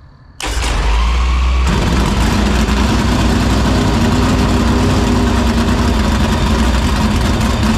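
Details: Dirt Silver Crown race car after fixing a fuel-cell vapor lock, fuel line and filter: it catches at once and settles into a deep, steady, even lope with no misses; healthy start and idle.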